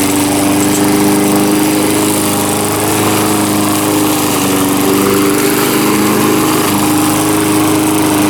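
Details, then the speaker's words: Small single-cylinder mower engine, earlier a no-start, now running, with the muffler loose: steady, even drone with a firm exhaust note, no misses or surging; running normally. "seems like it's running good now though someone messed her up"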